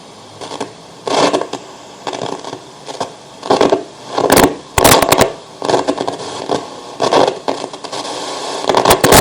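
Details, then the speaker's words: 1980s National RX-1494W radio cassette recorder on FM; scratchy paper-crumpling crackles in bursts each time the tuning dial turns, because the variable capacitor shaft lacked lubrication; gone after servicing: tuning crackle from dry variable capacitor. "Capacitor variável aí ele tava sem lubrificação no eixo dele, então faz esse barulho também."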